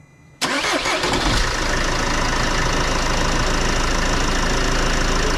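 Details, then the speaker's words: Mercedes Vito W639 diesel after swapping the A/C compressor pulley for one with a damper: cranks briefly, fires at once and settles into a steady, even idle. The previous compressor clatter is gone. "Klingt gut. Geil, Mann. Das Klappern ist weg."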